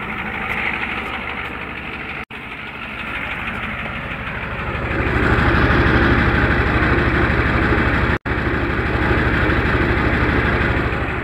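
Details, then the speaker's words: Used '93 IDIT diesel in a '93 truck at idle: regular knock of about three per second that appears about 30 seconds after startup as it probably gets oil pressure, and grows louder. Valve covers pulled, nothing weird found. Cause unknown. "as it smoothes out and probably gets oil pressure starts to do that knock-knock-knock knock-knock-knock"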